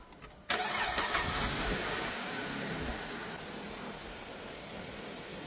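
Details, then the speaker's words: 2008 Dodge Avenger after the customer's head gasket and timing job, with the intake plastic-welded and patched and the EGR blocked off with a gasket and unplugged: the engine cranks, catches at once, flares briefly, then settles into a smooth, steady idle with no stumble or hiss. "Running pretty good for nobody in it. Do have that gasket on the EGR blocking this off."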